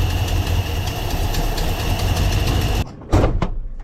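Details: 1982 Ford F-150 302 V8, manual, carburettor idle screws just backed out four turns after neglected fuel system: catches and idles a few seconds, lumpy and uneven, then shuts off with clunks; owner suspects idle screw setting.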